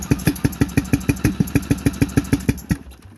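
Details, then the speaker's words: Cub Cadet tractor with major engine breakdown, one spark plug unplugged: lumpy uneven chugging that stumbles and dies, running on one cylinder; owner hopes for ignition coil or pushrod, fears bent or bad rod; cause unconfirmed. "I had to limp it home on one cylinder it probably was not very good for the engine but I'll unplug this spark plug right here you can hear what it sounds like when it tries to fire up it really does not sound happy"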